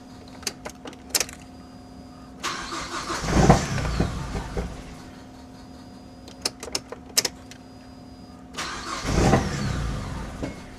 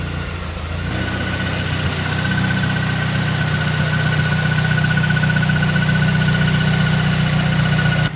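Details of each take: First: Mazdaspeed 3, not run for six years, old fuel still in tank; starter cranks in bursts with ticking between attempts before catching into rough idle. Long crank before first start after storage. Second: Mazdaspeed 3 after six years' storage, power steering reservoir (found empty) refilled with ATF; steady even petrol idle, rattle gone, faint constant high tone over engine hum. Normal smooth idle after fix.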